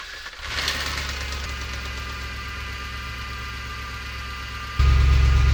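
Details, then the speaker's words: Audi S6 project, first start after engine reassembly and vacuum lines finished: cranks, catches cleanly, smooth even idle, crisp rev, no knocking; engine healthy, some whine from serpentine belt. "the car was running again and despite all of my worrying it sounded healthy sure there's some sort of a wh from the serpentine belt but the engine itself works"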